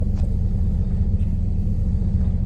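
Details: Heavy-duty truck Detroit Diesel engine at idle: deep diesel idle rises and falls in a slow hunting rhythm, a common rpm surge traced to a faulty fuel quantity control valve, which is then replaced.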